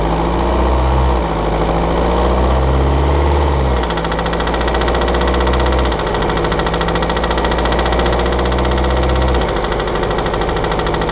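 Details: 2013 BMW 520d F10/F11 N47 diesel, cold and under load at 1500 rpm: loose, uneven ticking rattle over steady drone; faulty injector, pinpointed with ISTA test.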